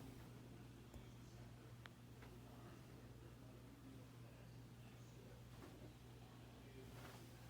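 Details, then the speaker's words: Harbor Breeze Armitage 2 ceiling fan, recorded up close: steady low hum with no run-up as the energised motor fails to turn the blades. "i'm gonna put it close here so you can see i mean so you could hear it hum"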